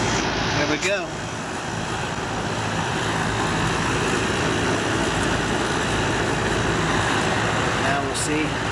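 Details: Apartment AC outdoor condenser after replacing bad contactor and capacitor, 245 volts supply: steady even whoosh of condenser fan and compressor, no clatter or buzzing; normal condenser operation after repair.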